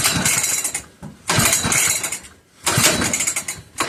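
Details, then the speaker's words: Old McCulloch 1-52 chainsaw, freed up with strong compression and known spark, clamped in a vise. Three rough pull-cord bursts give a couple of weak pops but it never runs; suspected flooded, and the plug was later found wet. "I know this thing has spark. So, it's just probably flooded with a lot of fluid. So it may take a little while to get it to pop off."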